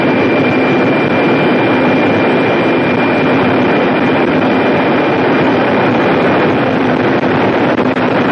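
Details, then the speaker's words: Jet turbine engine held at maximum power in the shop before a turbine blade lock demonstration. Loud steady roar with a thin high tone held evenly, no surging or rattles. Normal running at high power. "Gonna crank her up to maximum power, bring her back down, and then I have a little demonstration in the back of the engine where we will explore just what the turbine lock strips are needed for if the blades are locked in place under operation."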